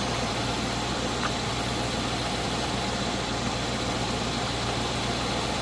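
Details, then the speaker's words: 1980 Chevrolet Scottsdale 350 V8 pickup parked 26 years, first start with fuel system hooked up: steady even idle hum, no ticking, knocking or pinging. Finding: normal idle. "But like, listen to that idle there. Like there's no knocking or nothing, eh? That's ridiculous. That sounds super nice."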